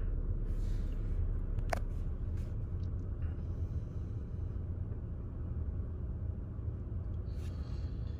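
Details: 2019 Chevy Equinox, customer complaint of rough running and shaking, after clearing codes: smooth, even idle hum, scan tool showing zero misfires on all cylinders; normal idle.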